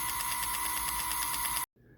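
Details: Bachmann Spectrum On30 Pocahontas Lumber rail truck (DCC, runs on DC): a high-pitched motor whir with a regular click on each gear turn. The motor works; the fault is thought to lie between the drive shaft and the differential, and three cracked gears were found in the drive system.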